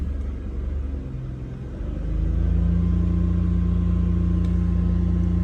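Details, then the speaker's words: Abandoned BMW E46 with a hole in the intake boot; throttle position defaulted to 6.66% after it cut out. On restart at wide-open throttle it stays at a steady low idle hum with no rise in revs. The throttle signal isn't getting through. "message isn't getting through, it's definitely not getting through. That was wide open throttle."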